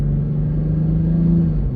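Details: 2020 BMW M340i with Dinan intake, warm at about 200°, exhaust valves closed, after reconnecting a separated charge pipe: smooth, steady low induction drone with no hiss or whoosh of escaping boost; normal turbo induction.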